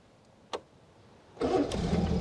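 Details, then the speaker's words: British Leyland Princess 2200 automatic: brief crank then instant start into steady even idle, just after fixing throttle and choke cables; normal start. "listen to it instant start i just fixed the throttle cable and the and the choke cable today so now that works"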